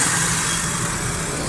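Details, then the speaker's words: Suzuki Cultus three-cylinder petrol after carburettor butterfly, power jet, vacuum and distributor faults were fixed: steady, even idle with some hiss, no missing or stumble; engine running healthy after repair. "गाड़ी start है, बिल्कुल ज़बरदस्त sound, किसी किस्म की कोई missing, कोई problem कुछ भी नहीं है।"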